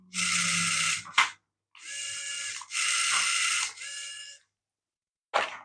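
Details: Small RC Dalek toy after resoldering a corroded wire and cleaning the contacts: its two motors whirr in short even bursts of high buzzy whine with gear chatter, stopping cleanly; drive now works normally.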